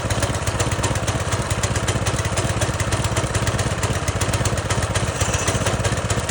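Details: Pressure washer small single-cylinder engine after carburetor replacement (old fuel drained): runs smooth and steady with an even firing beat, no misses or stumbles; healthy.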